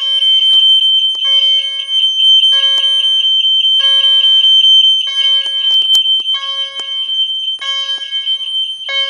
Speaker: Not the lowest tone, but it's pretty low.